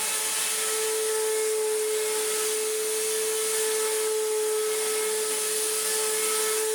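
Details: Restored Electrolux Z1910 Self Propelled vacuum on a rug: harsh rough high-pitched motor whine with gritty edge over suction roar; sounds terrible; post-motor filter pad working loose.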